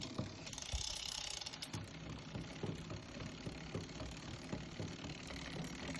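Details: Shimano XT M8000 new bicycle drivetrain: uneven rapid ticking and knocking from chain and gears, about three or four per second while pedalling; cause not clear.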